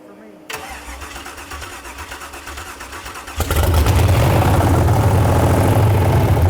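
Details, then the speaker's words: Aluminum-block 5.3 LS V8 swapped into a 1999 Porsche 911; cranks briefly, catches cleanly and settles into a steady, even idle with no knocks, 49 psi oil pressure at idle, 70 psi at 2000 rpm; normal start and idle. "this is idling at like 49 PSI of oil pressure just revving it up to you know two grand got it up to 70 feel good sounds good"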